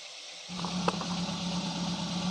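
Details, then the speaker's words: Daihatsu Gran Max engine, rough-sounding because valve clearance was too loose, now refitted after the valve repair: it catches and settles into a smooth, even idle with a low hum and no knocking or tapping. Normal idle. "Oke sekarang kita tes atau kita coba gimana hasilnya agan2 sudah berbeda dari suaranya yang tadinya atau kasar Tapi sekarang sudah kembali standar"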